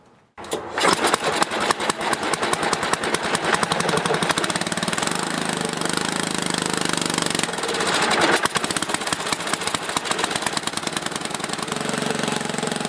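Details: Older 4–7 HP Tecumseh snowblower engine after carburetor rebuild, fresh gas, two shots of primer, choke on, no leaks: catches within a second and settles into a fast, even single-cylinder putter with no misses or surging; running normally.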